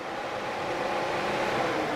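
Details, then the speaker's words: 2000 Pontiac Trans Am being diagnosed for overheating: with the relay connected and voltage restored at the connector, the electric radiator fans start, giving a steady rushing airflow and even hum with no ticking or scraping; connectors are to be cleaned. "if i plug this in it should it should operate the fans now my relay is still connected so yeah this should operate the fans and this was just a there they are"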